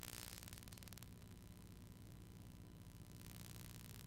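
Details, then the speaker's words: Pyle PMX7BU.5 audio mixer with EMI interference: low, steady mains buzz with hiss on top, unchanging; sounds like an earth issue, improved after reconnecting the ground. "That really sounds like an earth issue."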